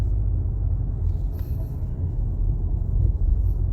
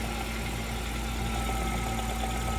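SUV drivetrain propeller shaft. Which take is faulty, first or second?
second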